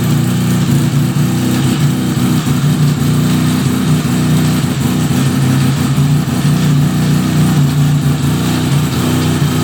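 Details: 1975 Suzuki RE5 rotary after full restoration, engine running: steady drone with a faint uneven clatter over it, no speed change; abnormal noise from the transmission, cause not yet found, engine to be removed for inspection.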